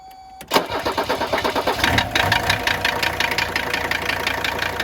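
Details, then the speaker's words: Mercedes 300TD wagon diesel: it catches and settles to an idle with a steady, deep knock of about three beats a second, deeper than normal injector clatter; cause suspected, not confirmed. "It's a little bit deeper knock than you normally hear just with fuel injector noise. That is not a normal diesel clatter."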